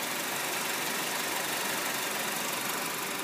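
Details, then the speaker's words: 2012 Honda Civic LX used car, odometer apparently about 130,608: an even, steady whir at idle with no knocks, misses or surging. Normal idle; no driving, road, shock or bearing noise reported. "no visual as driving noise no road noise no shock noise no bearing noise engine idle smoothly as you can hear it"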